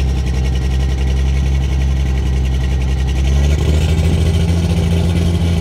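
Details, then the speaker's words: 12-valve Cummins diesel truck, fuel plate removed and AFC gutted: loud, deep idle with a hard, steady clatter rattling through the cylinder walls and a slight rev change. "he can hear it rattle through the cylinder walls"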